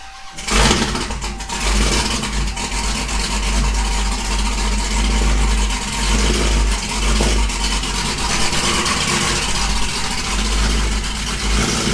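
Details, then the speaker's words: Engine started after head work with new head bolts, old ECU refitted: loud, slightly uneven idle wavering as the MAP sensors try to level out. The MAP sensors had to be swapped again. Cause not confirmed. "So the map sensors, you can tell they're trying to level out. So we'll let this run. Now it's starting to get it."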